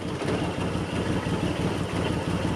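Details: Suzuki Cappuccino, MAP-sensor car being revived: idle sits low and lumpy with uneven beats a few per second, lower than it should be; a vacuum leak is suspected.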